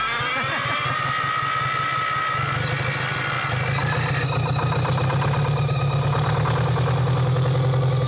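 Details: Champion motor grader with a Detroit diesel that sat locked up for 7 years, now freed, first start after priming: steady, fairly even clatter, speed rising slightly and holding without stumbling; no longer stuck and running normally.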